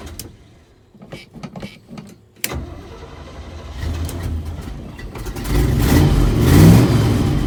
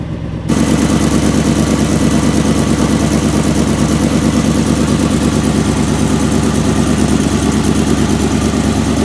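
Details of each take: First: 1977 Chevy Big Ten pickup, 350 V8, cold start; a few quiet clicks, then it fires at once and its rumble rises with throttle; hard cold start needing pedal pumps because the choke is faulty. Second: 1977 Chevy Big Ten, 350 V8 with granny gear, cold start after sitting (run weekly); choke faulty so gas pedal pumped, ignition switch broken; catches after brief silence, settles into smooth, even V8 burble at steady cold idle; healthy running.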